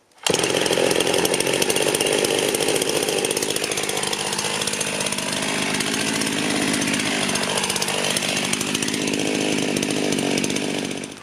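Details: Rebuilt Husqvarna 51 chainsaw idling for a heat cycle in cold weather: an even, high-pitched two-stroke buzz holds steady with no misfires, stumbles or surging. It runs cleanly while warming up.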